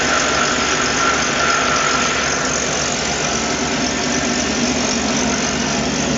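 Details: 1997 Ford F250 HD 2WD, 351W 5.8L multiport EFI, 5-speed, modified; loud, raspy open-exhaust V8 holding steady, even idle with no knocks or misses; engine reportedly burns no oil; sounds healthy.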